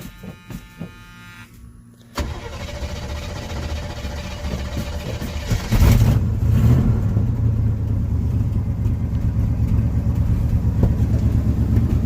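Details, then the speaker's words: 1980 Chevy K10 after new starter, cleaned gas tank and new fuel filter, choke possibly not yet adjusted right: long cranking before catching with some persuasion, then a rev and uneven idle with occasional pops; cause unconfirmed. "It's still got a little bit of a popping going on, but there she is, running as good as ever."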